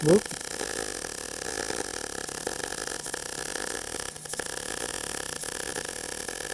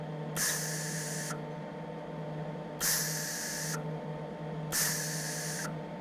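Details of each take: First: Steady frying MIG arc crackle with a few brief dropouts and stutters mid-bead; the slips came from too much weight leaning on the torch while keeping the head back. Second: MIG welder shielding gas turned down from too high to the correct flow: three short, soft, even hisses on trigger pulls, much quieter than the excessive setting; correct shielding gas flow.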